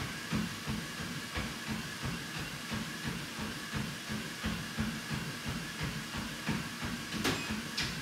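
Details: WalkingPad X218 dual-folding treadmill, with a decibel reading taken about 1 m away: steady belt and motor hum under even footfalls about three a second, no clicking or rubbing; runs smoothly.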